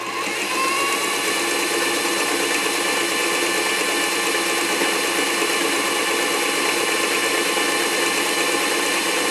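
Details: Singer 237 Fashion Mate (237M-A) after a clean, lube and adjust service, sewing a wide zigzag set around 10–12: fast, even mechanical chatter at steady speed, no knocking, binding or grinding; normal, healthy zigzag stitching.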